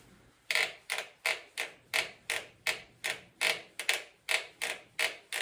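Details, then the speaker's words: Selle Italia mountain bike saddle after 3–4 months of use: sharp, dry creaks repeating two to three times a second as the saddle is loaded; owner tries fixing it with epoxy. "My Selle Italia saddle has started making an awful freaking creaking noise after about 3 or 4 months of use."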